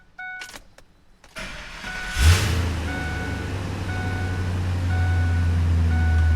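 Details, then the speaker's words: 2002 Ford F-250 5.4L after exhaust manifold leak patch repair on both sides, cured over 24 hours: clicks, cranks, catches and settles into a deep even idle; previous exhaust tick and popping gone, heard from cab. "I don't really hear an exhaust tick now, at least not from in the cab. Nothing over here, but that's the side we fixed, you know, a few weeks ago. Over here, it's pretty quiet too."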